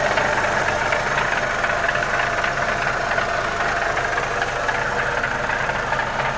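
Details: Audi 1.8 turbo at idle: a fast, light, even ticking runs through the steady idle at the same pace throughout. Source unclear; owner mentions possible oil issue and a faulty PCV part leaking air and oil.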